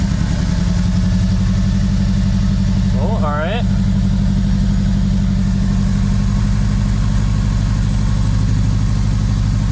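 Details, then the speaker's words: Acura RSX with Sirimoto flex fuel kit and newly fitted injectors: uneven, lumpy low pulsing at idle with no steady beat, running very lean. Only one of the injectors works, so it runs on one cylinder; the injectors were sold bad. "as you can see here only one of them is working so um that's my problem that's also why the car was running so bad just because it was only running on one cylinder"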